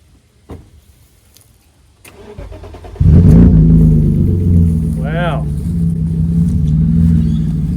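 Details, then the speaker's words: BMW E36, sat for ages, after replacing a failing fuel pump with a cheap eBay pump: brief crank, clean catch, then a smooth steady idle with an even low hum; normal start and idle. "funny what a good fuel pump would do to a car you can tell it's been sitting for ages"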